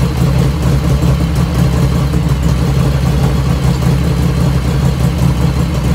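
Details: 1985 Harley FXR V-twin idling just after first start, still cold at about 49°F ambient, right after a float setting: steady, even loping low beat with no lifter ticking over the engine; normal idle.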